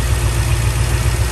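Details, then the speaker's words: 2001 Toyota Sequoia with about 250,000 miles, P0300: low rough idle with an uneven, stumbling pulse from a cylinder 1 misfire. A coil pack is suspected and is being pulled to compare the idle. "so it's actually misfiring right now at idle so i'm gonna remove the coil and see if you can hear any difference"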